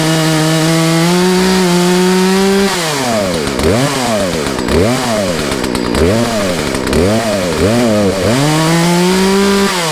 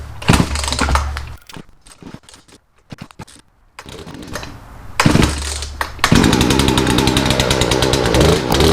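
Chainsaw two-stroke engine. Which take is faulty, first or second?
second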